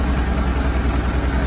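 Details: Honda Deauville NT700VA after throttle position sensor replacement and ECM recalibration for FI light 8 blinks, engine between cold and medium temperature: an even, steady low idle with settled speed and no hunting, misses or ticks, so it sounds healthy.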